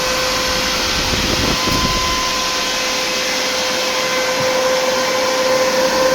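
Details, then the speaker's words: New 16-inch SPAL electric cooling fan in a WJ shroud, to replace the hydraulic fan on a 2005 Jeep Grand Cherokee 5.7 HEMI, bench-powered: steady rushing airflow, even motor hum, no ticking, rubbing or wobble; normal fan operation. "Worked real good. It's ready to go in a 2005 5.7 liter Jeep Grand Cherokee."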